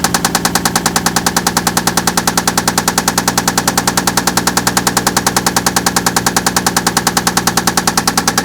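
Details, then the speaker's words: Toyota Land Cruiser with loud engine knock, testing before engine teardown by loosening plug wires on cylinders three and four; steady sharp knock about 200 a minute continues with a plug wire pulled, source still unknown. "loosen it up and we'll see if there's a pitch change in that knocking all right"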